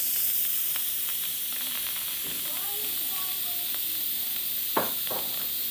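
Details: Insignia pressure cooker, venting after cooking chicken fettuccine: loud, steady high-pitched hiss of steam with a few clicks; normal pressure release.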